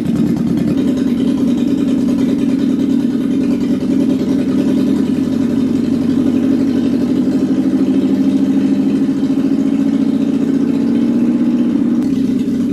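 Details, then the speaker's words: Classic Alfa Romeo with rebuilt Weber 40 DCOE 2 carburettors, after tightening the plate: steady, even idle with smooth low burble, no misses or hunting; before idle speed/mixture adjustment and balancing; normal idle. "all right guys i just tightened up the missile plate sounds pretty steady now"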